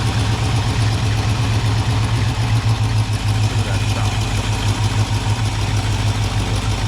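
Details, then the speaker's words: 1978 Ford Bronco carbureted engine, cold on choke after idle screw adjusted half a turn: deep even low rumble at steady idle, no misses or knocks; normal idle, still needs warming up. "Sounds good. Needs to get warmed up. It is choked off."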